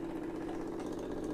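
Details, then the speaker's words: RO water purifier booster pump, no piping connected: steady, even motor hum with faint buzz, no knocks or rattles, pump running fine, suggesting the original SMPS is not working properly. "Booster pump चलने लगा है। इसका मतलब आपका SMPS जो है तो यह प्रॉपर वर्किंग नहीं कर रहा है।"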